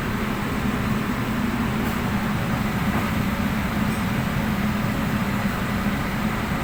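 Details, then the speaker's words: Undercounter chiller under repair for abnormal temperature, after refrigerant (freon) recharge while waiting for the temperature to drop, which has begun falling: constant, smooth low compressor hum with no knocking or rattling; running normally. "Ini setelah proses pengisian freon, dan menunggu penurunan suhunya. Suhu udah mulai turun."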